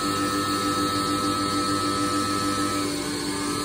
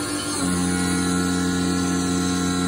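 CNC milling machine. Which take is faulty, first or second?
second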